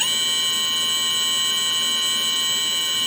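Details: Brushless model-airplane motor on an ESC with an 11.1 V battery, under a STM32 NUCLEO-L476RG PI RPM controller stepped through 3,000–10,000 RPM commands. A steady, high whine of several constant tones holds perfectly even at a fixed speed; normal motor.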